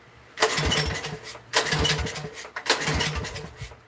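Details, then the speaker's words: Junk small pull-start engine, choke down: three pull-start bursts about a second apart, coughs and briefly catches but won't run; fuel reaches the bowl but isn't drawn into the carburettor, owner suspects gasket plate with silicone blocking it. "And you can hear it. It tried to run there. Did you catch that one? Yeah. So if I make it choke, if I choke it to pull it in, pull that fuel up, then it'll run."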